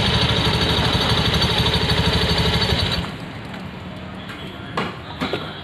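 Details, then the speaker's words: Honda Beat FI scooter: thin, high metallic jingle over the buzzy idle until the engine cuts; rattling in the CVT. "Oke, kali ini kita mengatasi suara tadi ya. Tadi suaranya itu ada seperti nyaring ya di sini, sing-sing-sing seperti itu."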